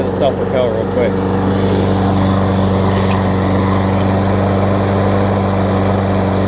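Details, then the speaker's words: Craftsman self-propelled mower, Tecumseh single-cylinder about 20 years old, old gas, started cold first pull after fixing loose, backwards blade that caused clunking: steady, even fast beat, no clunk or knock; sounds healthy. "see we get a turnover that's starting forward there as you can see hey you gotta love the one cold start right"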